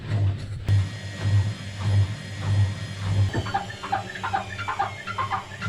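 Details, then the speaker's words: Washing machine aboard a sailboat, tested on spin cycle after belt adjustment (belt suspected, bearing looked okay); low rhythmic drum thumping then repeated high squeaks about once a second, owner says definitely not right. "That's a weird noise. The hell is that? No, no, that's definitely not right. That is not right. I wonder what's doing that."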